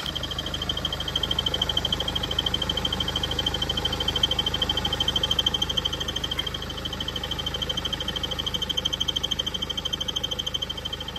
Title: BMW 320D F30 N47D20 Squeaking noise when using air con. investigation; caused Crankshaft Pulley